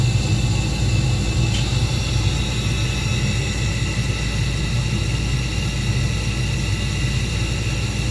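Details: Old Carrier 58SSB natural gas furnace: inducer motor runs smoothly with steady hum and faint whir, wheel in good shape; noisy vibration traced to worn motor mounting grommets.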